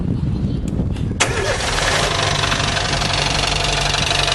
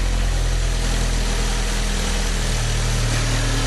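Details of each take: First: 2010/2011 Fiat Palio 1.4 8V Fire idles with a fast, regular tec-tec ticking that seems to come from the cylinder head area. The cause is unknown. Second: 2010/2011 Fiat Palio 1.4 8V Fire, brought in for a tapping engine noise, on its first start: a steady, low, even idle with a smooth regular beat and nothing tapping or missing; sounds healthy.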